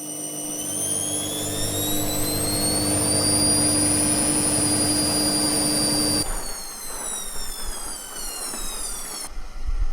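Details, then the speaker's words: Edesa/Fagor washing machine test-run without clothes after replacing worn drum bearings and badly deteriorated seal; spin now very soft, smooth whirring rising and winding down, no rumble or hoarse grinding. Previously loud hoarse airplane-like spin noise; bearings now healthy. "The sound of the washing machine is very soft"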